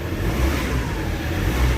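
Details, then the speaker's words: Ford Ranger 3.2 diesel revved after XADO engine treatment for power loss and low compression, aircon on; heavy even roar held at high revs, strong from around 800 rpm, unit shaking, no misses or knocks, healthy. "Yung galit ng makina, nasa 800 galit na. Oh. Galit na. Lakas na. Tsaka lumilindol yung unit, gumagalaw."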